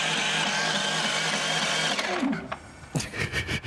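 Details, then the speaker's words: Duromax XP11000iH generator after carburetor replacement, electric start with automatic choke: starter whirs steadily about two seconds, then sluggish uneven chugs without catching; cranks slowly, no start, though it pull-starts fine; battery suspected. "you tried it with another battery or assisting it maybe it's just not cranking over quite fast enough it sounds like it's kind of turning over a little slow"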